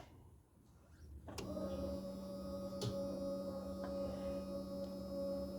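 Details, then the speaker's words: 1987-96 Ford F150 carb swap: factory electric fuel pump wired with its side grounded, a click then a steady hum as the pump runs continuously with key on; relay clicks when the key is cycled. "yeah you can hear the fuel pump running fuel pump's running constantly"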